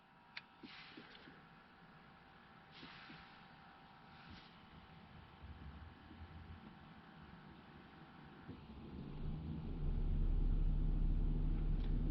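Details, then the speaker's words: 2009 Buick LaCrosse, electric cooling fan under the hood commanded to high speed via an Xtool D8 scan tool actuation test with the doors closed: quiet, then a steady whoosh and hum that rises and holds, the fan running normally. "you can hear that that's the high speed fan i do have the doors closed to keep the the buzzer off but it did kick the fan on"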